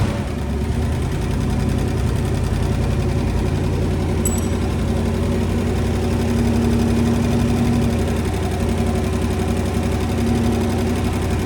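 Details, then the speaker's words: 1966 Dodge Coronet wagon, poly 318 V8 with 727 transmission, run briefly on fuel poured into carb, no coolant: steady idle with a light quick uneven tick; owner thinks lifter tick on one bank, unconfirmed. "got a little bit of a lifter tick on the other side it sounds like"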